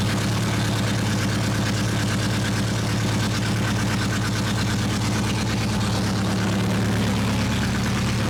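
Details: 2006 Mini Cooper S R53 after cylinder head replacement, longer run warming up to temperature, no leaks and good oil pressure: even, steady idle with no knocks, ticks or stumbles over the full run; engine sounds healthy at normal idle.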